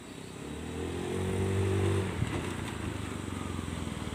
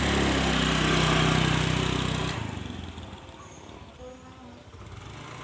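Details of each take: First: Carbureted Honda Scoopy scooter after a full service for sluggish, heavy, sputtering pull, full throttle from standstill: pitch climbs smoothly for about two seconds, then eases to a steady putter; pulls cleanly, normal acceleration. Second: Honda Scoopy carburetor scooter, full throttle test: roars hard two seconds then sags to weak, lumpy drone, bogging and sluggish pull; CVT, engine and carburetor to be stripped and re-tuned.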